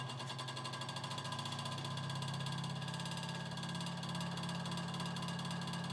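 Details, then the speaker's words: Early-1950s Vornado Jr. two-speed table fan, ~7-inch blade, running on high with a shot motor, suspected burned-up shorted windings, runs about a third speed: steady low hum with rough rattling buzz, harsh and strained; needs rotor rewind. "So yeah, quite noisy. But even at this low speed here, it actually still moves a decent amount of air."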